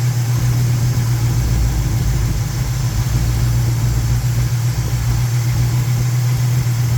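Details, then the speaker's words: '78 Monte Carlo 305 (5.0) small-block V8, rebuilt 2004, under 50 miles, rebuilt Edelbrock Performer 1406 carb tuned, timing 16° BTDC, idle mixture screws adjusted; deep even burble, no misses, knocks or hunting; normal idle. "Now with the timing advanced to 16 degrees before top dead center, the idle mixing screws are actually making a difference. So this is where the motor is the happiest."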